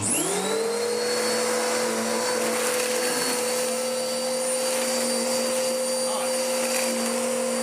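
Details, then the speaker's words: Dirt Devil DD6114 (Electrolux Contour clone) upright vacuum before restoration: motor spins to a steady, strained high whine with unchanging airflow noise; air path under the base plate immediately clogged, as these always did. "What's happened is it's immediately clogged itself, just as these always did."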